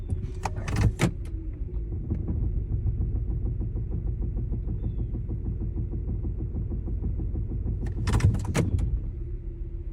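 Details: 2014 Kia Soul idles fine, but when shifted into drive makes a steady light knock about three to four per second with a deep rumble.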